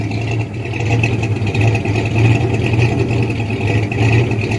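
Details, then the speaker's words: Rebuilt 1979 Ford F150 engine at normal idle, oil pressure steady: low idle swells and dips about twice a second in an uneven lope, the cam rocking the truck each hit; lumpy rough idle. "As you can tell by that 2x4 how much of a lift it's got. That's how much the truck is being rocked every time that cam hits."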